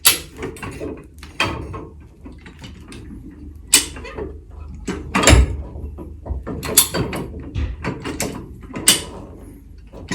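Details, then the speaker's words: High-lift jack lifting a Ford Ranger from a bullbar: sharp metallic clicks in uneven bursts, one per notch as the jack climbs, amid handling noise; normal ratchet clicking. "you're gonna hear the clicking noise every time it climbs up"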